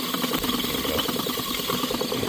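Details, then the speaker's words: Seized scroll compressor from a home AC condenser unit, forced round by hand with a wrench; rough, rattling metallic churn with uneven knocks indicates internal mechanical damage, cause suspected, not confirmed. "Okay. Oh, yeah. You can hear some noises down there."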